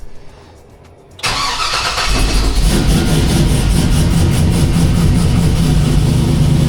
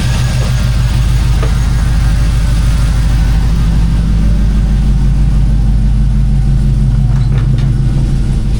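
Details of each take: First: K5 Blazer with 5.3 LS, cold morning start after overnight sit, following intake gasket replacement for hard starting: long crank before firing, then a loping, uneven idle like a big cam, which it does not have; hard start persists, cause unknown. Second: K5 Blazer with 5.3 LS V8, started on a cold night after intake gasket replacement for a morning hard start: deep, even rumble with smooth pulse, no stumble or ticking, then shut off; normal running.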